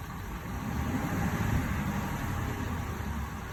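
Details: Aston Martin V8 Vantage 4.7 V8, warm idle: uneven low thumping about three pulses a second, absent when cold, appearing once warmed up and seemingly cured by revving; present for nearly two years without issues, cause not pinned down.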